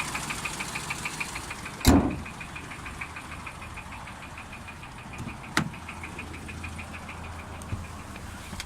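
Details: 2010 Renault Mégane 1.4 TCe, 96,000 miles: steady idle with a faint regular tapping and a few loud handling thumps; knocking diagnosed as worn big end bearings, needing repair or a replacement engine.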